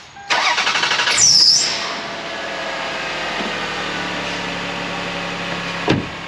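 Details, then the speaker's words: Older Toyota Highlander after an exhaust leak was patched with muffler cement: quick crank, clean catch, then a quiet even idle with no puffing or spitting from the exhaust; normal idle. "all right it's not puffing it's not spitting at me it's not tugging the camera up very good"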